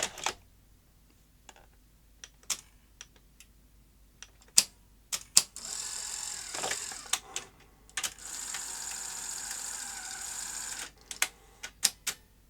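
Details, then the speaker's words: Sony SL-HF900 SuperBeta NTSC VCR front loader cycling and stalling with uneven clicks and short motor whirs; gear timing was set per the model's setup guide but still wrong, traced to a misadjusted spring in the loader gearing. "it's so close to being right now I had set up the timing of the gears in here as per 12 volt vids information on how to set the mechanism up on this particular deck not any other model this actual one but still it's not quite right"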